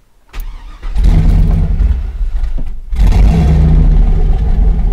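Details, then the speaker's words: 2000 Chevy Silverado 5.3L LM7 turbo after cam swap to SUM-8701, idle airflow table reset to stock in HP Tuners: fires but stays running only with throttle blips, rumble sagging between revs; idle airflow too low, stalls at idle. "yeah well won't stay running without me stabbing the gas pedal"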